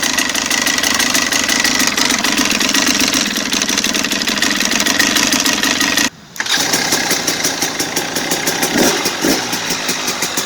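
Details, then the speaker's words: 2017 KTM 300 XC-W two-stroke dirt bike just after top-end rebuild for piston slap knock at 54 hours, first kick start, not yet warm: fast, even, crisp popping idle with no knock; noise gone; normal idle. "how do you like it now all right noises gone that's why we wanted to hear"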